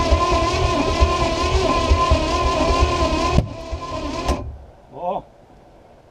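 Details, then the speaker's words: Long-abandoned antique boat with a crusty small-block Chevy, first start attempt after years, Marvel Mystery Oil on the carb, battery possibly weak; rough roar cuts out, then one sharp crack and a big fireball out the back; backfire. "see that she popped a big fireball out the back"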